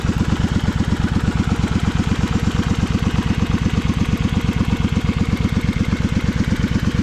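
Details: Honda Magna 250 V-twin (MC29-1018), 17,810 km, drag pipes: deep even lumpy beat under three pulses a second, steady with no ticks or knocks; normal, healthy idle.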